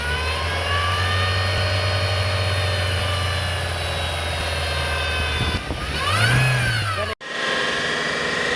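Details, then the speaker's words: Vehicle with a CVT transmission: a steady whine over idle sweeps up in pitch as the engine revs; damaged CVT belt noise. "También en los vehículos que tienen transmisión CBT, al momento de que la correa de esta transmisión está dañada, se puede escuchar algo así."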